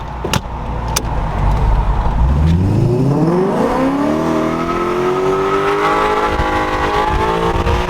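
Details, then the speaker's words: Coyote-swapped Terminator Cobra Mustang with 6R80 automatic, driven top down under hard throttle: engine note climbs smoothly and steadily with no knocks or rattles; engine, transmission and rear end feel and sound healthy. "engine and trans and rear end all feel awesome yeah what are your thoughts it feels really good and it sounds good too"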